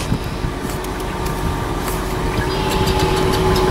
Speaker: so oops anyway it runs it sounds good in the wonderful